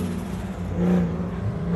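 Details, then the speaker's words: Drift car, reset battery, first run of the event, engine running good after day of rod knock and misfire problems: short burst of smooth revving, clean pull, no misses or knocks; normal running. "I'm going up for my first run with the car actually running good right now, so I guess just wish me luck, guys."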